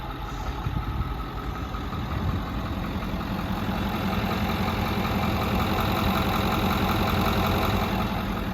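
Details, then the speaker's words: 2010 Ford F-350 Power Stroke diesel welding utility truck with Miller Air Pak, 15,000 original miles, ex-fleet: steady, even diesel clatter at idle, no misses, knocks or speed hunting; engine sounds great, very quiet and healthy. "Shows well. You can hear the engine, sounds great, very quiet. You know, those Power Strokes have some good power, no pun intended."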